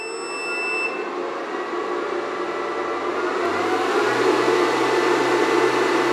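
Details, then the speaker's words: Air conditioner powered through a 2000 W inverter from a 100Ah self-heating LiFePO4 battery reading 13.6 V: high beeps at inverter switch-on, then a low steady hum as the AC compressor kicks on, about 35 A load; normal start-up. "on so I don't know if we called it on here or not I'll have to review the footage but the AC unit compressor did kick on this spiked up and now we're actively running with the compressor on"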